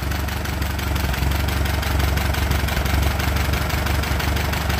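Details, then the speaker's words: Allis-Chalmers B tractor bought at a sale, original points, new plugs and cap, burns a little oil, low oil pressure, clutch stuck: steady even low chug at idle, about three beats a second, no knocks or misses; runs nice and smooth. "but anyhow I got the motor running it runs pretty nice and smooth"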